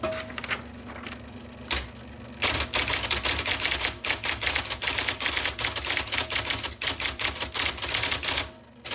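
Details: 1979 IBM Selectric II (non-correcting) typewriter, restored after a miswired plug, cleaning, flushing and lubrication: crisp, quick keystroke clacks in uneven bursts with brief pauses and a carriage return; normal operation.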